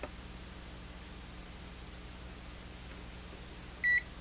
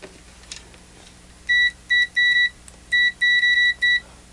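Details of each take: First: Zotek ZT-703S handheld oscilloscope multimeter powering on, booting into its default mode almost instantly. A single short, clean high beep over quiet room hum; normal power-on beep. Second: Zotek ZT-703S handheld oscilloscope/multimeter in continuity mode: short high beeps drag on, still beeping after the probes are released, and blur together when tapped repeatedly. The reading is latched but lags. Continuity beeper lag.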